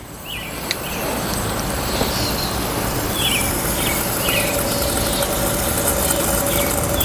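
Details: Coleman 425E camp stove after pump repair, pumped a couple times, burner valve turned on wide open: steady rushing hiss that builds then holds even, birds in background; burner running strong at full flame.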